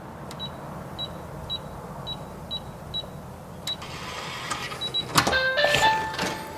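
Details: SECURAM Touch smart deadbolt, newly installed: six short high keypad beeps entering the default code, then a brief even motor whir as the bolt retracts; unlocking normally.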